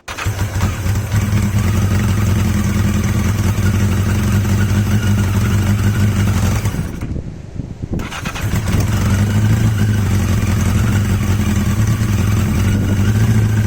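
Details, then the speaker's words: Yamaha XJ750 four-cylinder motorcycle after swapping in XJ650 carbs: steady, even idle, no misses, wind noise; best idle yet, sounds healthy. "I think that's the best idle I've had I'm not entirely sure you're going to hear anything it's so windy it's blowing everything out but that sounds quite"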